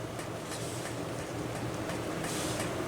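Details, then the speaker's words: Small cooling fan from a Wanhao Duplicator i3 / Monoprice Maker 3D printer, after repair, running at 12 volts: soft, even whir with faint low hum, no buzz even when pressed against the table; slightly off balance but running normally. "yeah it's it's really smooth now you can see it's a little off balance but remember before i would kind of push it against the table and you could hear it buzzing not anymore"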